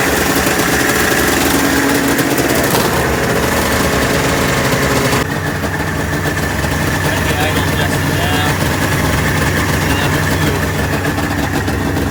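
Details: 1996 Ski-Doo Formula 3 600 two-stroke triple after carb cleaning and synchronization: buzzes steadily, holds its note without stumbling; runs well, though fuel later seen leaking from one carb's vent lines, float stuck.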